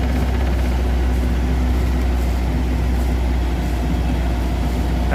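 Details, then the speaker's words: Boat inboard engine running steadily after a complete rewiring; even low rumble with water squirting out the stern, so the raw-water pump works. After 30 minutes it reaches 140 degrees, oil pressure holds, and the ammeter has a problem. "can hear the water squirting out the back, so the pump's working."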